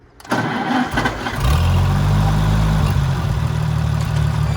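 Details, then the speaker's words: Oliver Super 77 tractor still on its straight pipe: catches after a short crank and settles into a low, uneven idle that lumps and stumbles; runs badly, carburetor to be inspected, rough running. "let's get into that carburetor because this thing runs like crap"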